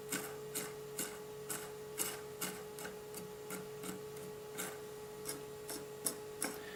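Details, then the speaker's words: AimTop airsoft gearbox bought on eBay, opened and turned by hand: dry, even clicking about twice a second over a faint hum; the noise comes from the gears themselves, not the shimming; rough gear mesh. "the noise is not because of the shimmy it's the gears they just make that noise"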